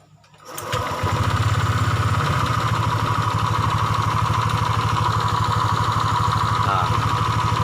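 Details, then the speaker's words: Honda Vario 125 Techno (fuel-injected) CVT after replacing the drive belt, the roller housing with a worn bushing, and the dented rollers: the engine settles into an even idle with a smooth drive whir. The earlier clunking knock is gone. "dibagian sebelah sini sudah enggak ada bunyi klotok-klotok yang video sebelumnya ya"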